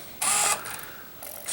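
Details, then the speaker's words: Sony PlayStation 1 disc drive after cleaning and re-greasing its gears to improve reading of burned discs: sharp, high-pitched ratcheting bursts during boot, still as loud as before. The gears might be slipping; cause unconfirmed. "Yeah, it's still just as loud, I think. I feel like it does. Is it supposed to make that noise? It might actually be slipping."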